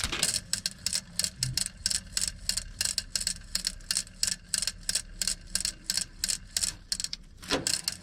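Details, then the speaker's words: 2007 Freightliner Columbia, Detroit Series 60, fan clutch hub hand-spun with belts off, free position: gritty rhythmic ticking about three clicks a second; hub ball bearing completely worn out. "do you hear that inside of there that thing is ready to explode the bearing is completely shot inside there that's what you're hearing low ball bearings"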